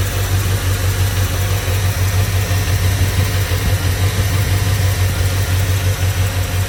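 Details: 2002 Chevrolet Silverado V8 idling with valve cover off, a loping, uneven misfire beat; truck sat eight months on old gas, and the injectors were found dirty and cleaned as the misfire cause.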